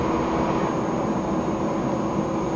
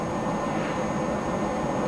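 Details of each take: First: HP Pavilion Media Center PC with a very hot CPU: steady loud whoosh and constant hum from the processor fan (fan two) spinning hard at about 2318 RPM. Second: HP Pavilion Media Center PC, fans slowed to 85% in software: soft, steady whoosh with a faint constant high tone, no rattle or surging; fans turning slowly and evenly.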